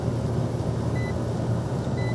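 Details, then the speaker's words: AC compressor that previously would not start, now started immediately during inrush current test, running current about 7 A: steady even low hum with a couple of short meter beeps, no surging or knocking; normal compressor running. "Wow. Started immediately. That's amazing. All right, we got to we got definitely got to recheck that. But it's looking great right now."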